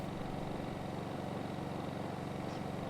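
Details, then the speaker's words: Gentrax 800W compact generator, warmed to operating temperature, running in economy mode, averaging 57 dB on meter: steady even low hum, no knocks or surging; running cleanly. "So we're going to start by running the Gentrax unit on economy mode, and we can see that the decibel meter is picking up an average of 57 decibels."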